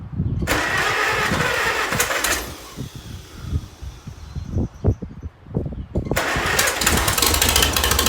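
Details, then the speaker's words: 1948 Farmall C tractor, an old family tractor, starting after an engine fix and tightening to hold compression: sputters with uneven pops, then catches into a loose, rough-edged run; may still need extensive engine work. "I feel like my uncle would be really proud that he got his old tractor running again and it's back on the farm where it came from."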